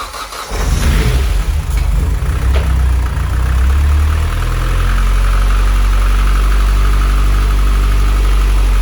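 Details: 600 bhp Mitsubishi Evo X turbo build, first start after fitting timing chain, fuel pump hardwired to 12 V: cranks, catches, settles into loud uneven lumpy idle; rough running.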